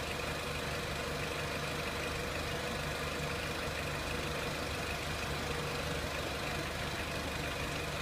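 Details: 2003 Renault Clio 1.6 petrol, intermittent stalling traced to loose crank sensor connector (sensor good), crank sensor scope reading good; quiet steady idle, even hum over background hiss, no misses, stumbles or knocks; normal idle.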